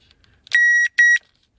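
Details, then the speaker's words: Nissan Primera with immobiliser fault (codes P1610/P1612), light flashing and no crank: two sharp tester beeps on the immobiliser feed. A newly fitted replacement burned again; the feed is shorted to ground, blowing its protection fuse. "سمعت تكة انا، شكله هذا احترق. اي والله رجع احترق هذا."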